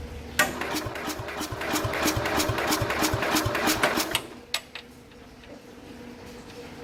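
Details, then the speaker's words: 1969 Bolens 850 tractor, Wisconsin S8D 8¼ hp engine, unrun 3+ years, hot after running, charger connected: slow labored cranking about three strokes a second, no firing; won't restart hot, owner suspects compression escaping the cylinder prematurely. "Geez, it's still cranking over slow. I got the battery charger hooked up to it. See, and it doesn't want to start up again right away, which is really bizarre."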